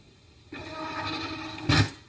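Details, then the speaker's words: Printrbot Jr. 3D printer Y-axis stepper motor: a harsh buzzing screech holds one pitch for over a second as the motor stalls and keeps pulling at the end of travel. Caused by the Y-axis wiring being reversed from the factory. "You could hear the motor kind of screeching and moving and trying to move it over there. The reason why was the Y axis in the Printrbot Jr. and maybe some other models too, is actually wired backwards."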